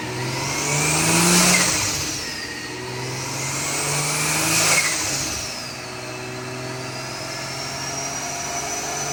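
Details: Drift Nissan R34 on the dyno, first base pull on about 9–10 psi boost with rich AFR and no tuning yet; engine pitch climbs smoothly to the top and drops back twice with no stutter, misfire or cut, revving out cleanly.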